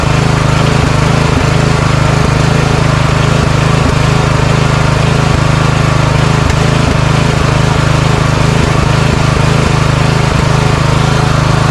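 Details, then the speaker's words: Craftsman riding mower at idle: slight hunting and sharp pops about twice a second; surging and backfiring from a faulty carburetor, later replaced. "Okay. So, there is a little bit of surging and backfiring."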